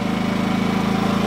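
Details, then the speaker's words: Sportsman GEN2000i 2200W max/1800W inverter generator at no load with economy mode switched on, not yet warm: steady low even drone, smooth regular pulse, no knocks; normal economy idle, should quieten once warm. "once it warms up it'll quiet down I don't have the economy turned on let me turn the economy on there we go"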